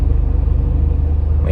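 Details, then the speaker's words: 2005 R53 Mini Cooper S after supercharger service, new gaskets and earlier timing chain replacement: deep steady engine rumble with regular low pulsing; lift-off noise still present, previously with lack of power, cause unknown. "it's still making that uh making that noise so uh I'm not quite sure what that is anyone had to this issue with a mini before"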